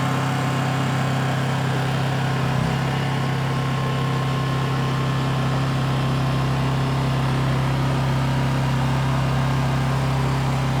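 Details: New Honda EU2200i inverter generator running during a fuel-shutoff test, recorded on a phone mic: even, steady hum at constant speed with no knocks, surges or hunting; normal running.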